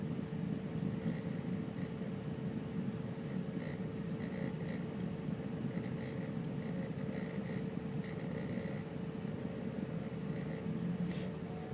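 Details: Xbox One playing a game disc: steady low whirring hum with a faint tone and light rapid ticking lasting about 20 minutes; abnormal disc drive noise.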